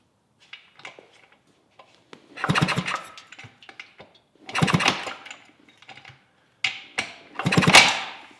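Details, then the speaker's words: 1971 Yamaha AT-1 125cc two-stroke, not run in over a year, kicks after fitting another spark plug: three hard kick-start strokes turning the engine over, never fires; no spark, no-start. "Alright, so before we start digging into why it's not sparking, I put the other spark plug in there, so we'll see if that does anything."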